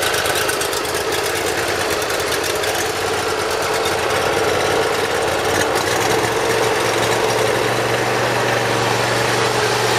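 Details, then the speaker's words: Briggs Intek V-twin mower engine, cold start on full choke after valve lash adjustment and an oil change, no starting fluid: steady, even beat with no surging or stumbling. Previously hard-starting and surging. "Probably even going to double check and adjust that governor, make sure there's no play in there, but it starts very easily now, no starting fluid."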